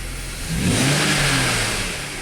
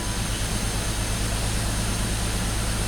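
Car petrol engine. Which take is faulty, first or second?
second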